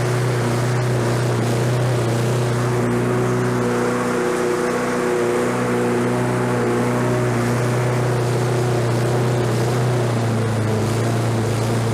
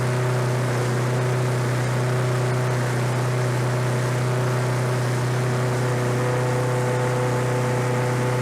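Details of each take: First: Lawn-Boy 21-inch self-propelled mower, self-propel engaged: engine holds a high, steady drone and sounds like it is over-revving; governor arm bent to bring rpm down. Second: Lawn-Boy 21-inch self-propelled walk-behind mower found in the trash, low oil, fresh gas: engine holds a steady, even low drone with no misses or surging, running cleanly.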